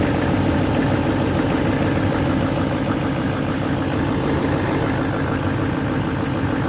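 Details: 2008 LMM Duramax diesel, rusty truck with a no-crank/clunk fault when sitting cold below 20°F, fixed by jumping the starter relay: deep, steady idle after start-up with no knocks, misses or rough patches; healthy engine.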